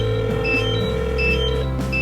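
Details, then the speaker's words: New DJI Mavic Air remote controller beeping nonstop for an hour and a half: high double-tone beeps about every 0.7 seconds over a low hum; continuous fault alarm, cause unknown. "I have the Mavic air and as you can probably hear this beeping you hear that that is the controller it's been doing it for an hour and a half"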